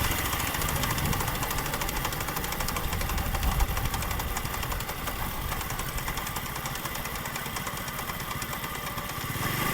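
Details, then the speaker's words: Honda CD 70 motorcycle ridden on the road with heavy wind, a rough knocking gear noise only in fourth gear under load; suspected loose gear changer bolt causing poor shift fork action and damaged gear dogs. "Friends ये आवाज आपने सुनी यह वाली जो आवाज है fourth gear में ही आती है"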